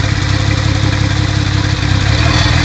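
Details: Toyota Supra Mk3 at almost 100k miles: loud, rough running with a dull low thumping under the exhaust note. Owner says rod knock.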